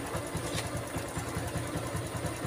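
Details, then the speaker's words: Honda Revo FI (fuel-injected) that came in with a rough clattering engine noise, traced to the cam, after top-end repair with the cam sprocket timing marks realigned: a steady, soft single-cylinder putter of about eight beats a second with no ticking; normal quiet idle. "tes dulu guys mantap suaranya adem"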